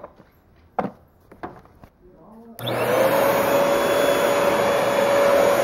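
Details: Bissell household vacuum cleaner motor run with its cover off after reassembly, already warm: a few handling clicks, then it catches and settles into a steady, even hum with no rattle; running normally.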